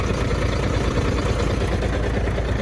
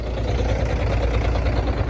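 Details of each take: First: MAN truck diesel at idle; runs quiet when started, but after about 10 minutes the air compressor heats up and starts knocking: dull, regular light knock riding the low beat; knocking air compressor. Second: Truck diesel idling smoothly and quietly, no compressor knock yet, while air system pressure is low; air compressor reportedly starts knocking and heating up after about 10 minutes as system fills with air, cause unknown.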